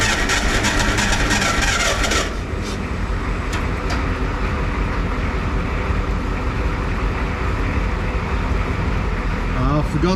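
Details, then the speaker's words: Clark IT70 forklift with suspected fuel issues, fuel run into a clear plastic hose before hooking up the carburetor, after a dead battery: engine churns over unevenly but never catches; cranking, no start because the throttle lever linkage was not hooked up. "I am too excited and I forgot to hook up the throttle lever so let me just do that second"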